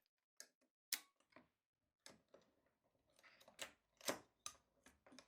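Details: Repaired 1960s Canon Demi S half-frame 35mm camera, leaf shutter demonstrated around 1/250th–1/125th: crisp distinct mechanical clicks, one per release with quiet gaps, opening and closing cleanly. Normal shutter operation after repair.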